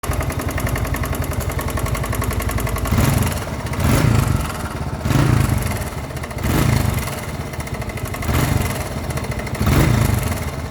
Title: Yamaha XT 250 1981 - Engine knocking - Any ideas